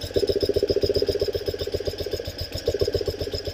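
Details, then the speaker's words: 1974 BMW R90S airhead, engine cover off: fast light metallic chatter about four per second in time with the engine from the crankcase breather valve, its soft flapper installed upside down and fluttering. "Because that is our noise maker. There's two pieces of metal here, and I don't know if you can see all of that. You got a harder metal that kind of holds it as a case, and then you've got a real soft metal, a little flapper."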